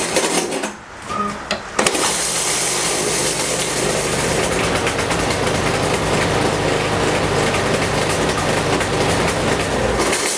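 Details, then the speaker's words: Yardworks mower with a Briggs and Stratton engine, pull-started: catches and runs roughly with a rattly, uneven buzz, kicks back, and the recoil doesn't catch; the cause is a loose blade. "There's that noise, now it's kicking back. Now the recoil's not catching."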